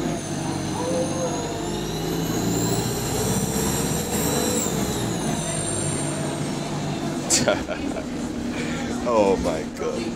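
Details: Transport UK Euro 6 bus TUK 8202 on route 367, heard from the cabin: a high thin whistle rising and falling with engine revs over steady rumble, a turbo boost leak.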